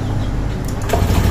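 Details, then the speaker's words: Euro Griffin 180i scooter after tightening the connection to the adaptor to stop the leak: starts, settles into a strong even low throb with no stumbling; normal start and idle after repair. "Paandarin natin. Kung nagbago na yung tunog, yun po yung cause ng"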